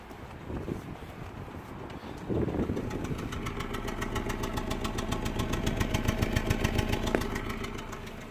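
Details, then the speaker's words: 2012 Honda Jazz 1.2 petrol starts and idles with an uneven, stumbling pulse from misfiring on cylinders 2 and 4. Coils and injectors had already been swapped elsewhere. Engine light and ESP light are on, and the roughness is visible at the exhaust. "by visible at the exhaust it's running a little bit rough you can definitely see that there is something wrong with this"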